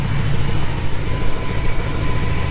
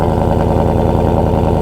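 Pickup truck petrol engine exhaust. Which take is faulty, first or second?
first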